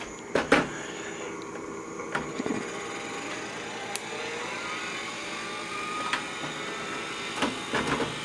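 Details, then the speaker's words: IBM PS/2 Model 25 286 hard drive spinning up on power-on: a thin whine climbs with scattered ticks and scrapes, sounding like it hits something; suspected rust or dust inside, drive thought to be dead, not confirmed. "that was the hard drive just spun up sounds like it's hitting something"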